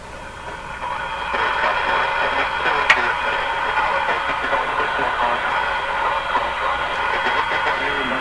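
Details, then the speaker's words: RCA Victor A23 Canadian-made tube radio, audio capacitors already replaced, tone control flipped: harsh, fuzzy, buzzy distortion through the midrange with no clean tone; judged 90% the speaker. "now you can even hear the distortion better now Wow you know what I give it a 90% that's the speaker"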